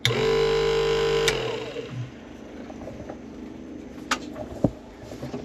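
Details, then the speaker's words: Sailboat Spectra watermaker after replacing the high-pressure pump, a sensor and the fan, brief manual power test: steady, even electric pump hum for about a second, then off, no rattle or strain; the old pump wouldn't even do this. Normal pump running. "that's a good sign the other pump wouldn't even do that"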